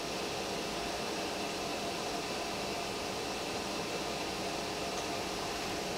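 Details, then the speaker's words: Pressure canner locked down and heated on high before venting; steady soft hiss of steam building inside, no visible steam yet, no pops or rattles, normal. "we don't see steam yet but you can hear that this you can hear that there is steam wanting to come out of it"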